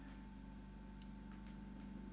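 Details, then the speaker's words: Record player with its own power supply, during a bench test: a steady low hum with a faint thin whine on top and no beat; the turntable motor runs shockingly loud, and noise is also heard. "I hear noise also hear the motor which is really loud shocking actually"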